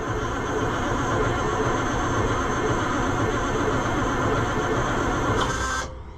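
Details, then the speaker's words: White 4-150 tractor with Caterpillar 3208 diesel V8 that would not start all winter: steady rhythmic cranking about six seconds, no smoke, never fires. "See, she don't even smoke, friends. And she should smoke because no smoke ain't no joke."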